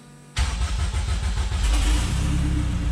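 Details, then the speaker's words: Honda K20 engine swapped into an MR2, first-ever start in the garage: quick crank, catches straight away, settles into a smooth, quiet, steady idle with no misfires or knocks; normal start. "All right, guys, this thing sounds good. Nice and quiet. All right, so we are started. It does start."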